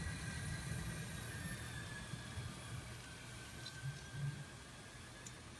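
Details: Faint, steady high-pitched electrical whine holding one pitch in a quiet room: GTX 970 graphics card coil whine, a common issue across Asus, EVGA, Zotac, MSI, Gigabyte and Gainward cards.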